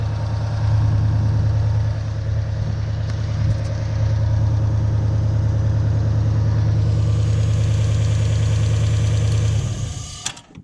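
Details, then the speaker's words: 1UZ-FE V8 Toyota Hilux with lack of power, running on 4 cylinders from faulty coil: lumpy uneven idle, then stalls when a coil is unplugged as the igniter feedback loop detects no spark and cuts fuel. "Doesn't like that. There we go. And it stops because of the feedback loop out of the igniters. So basically when it detects there's not spark happening, then it turns the fuel off."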